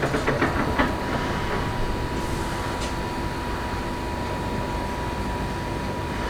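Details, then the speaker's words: Perkins 2806 electronic diesel engine (600 kVA generator), 24 V battery good: steady, even starter churning, engine turns over but never catches; crank-no-start traced to a blown ECM relay fuse. "i'm gonna show you why it is not starting it is only cranking what is the problem"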